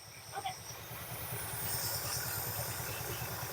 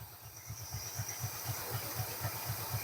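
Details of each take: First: 1969 Ford F250 Ranger Camper Special V8, ignition timing being advanced a few degrees: low steady idle that lifts slightly and evens out, sounding happier and no longer coughing after the adjustment. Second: 1969 Ford F250 Ranger Camper Special V8, long abandoned and just revived, during ignition timing adjustment: low, lumpy idle pulsing about four times a second, slightly uneven; runs a tiny bit rough, timing thought to need advancing.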